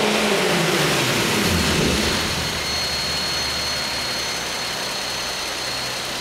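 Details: Nissan 370Z with Takeda short ram intake: rough engine note rising with revs and a thin high whistle as it settles; weird intake noise, source unclear.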